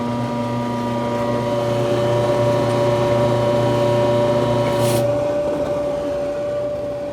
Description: Electrolux electric dryer motor making a lot of noise then stops.